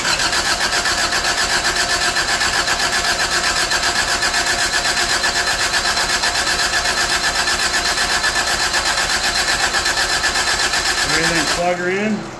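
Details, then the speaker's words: 1985 Toyota Tercel after engine work and fuel line work: starter spins the engine at a steady, even four beats a second for about eleven seconds but it never fires; carb wet on the choke side, possibly fuel or vacuum lines. "should have started by now is it squirting I mean it's wet on the choke side"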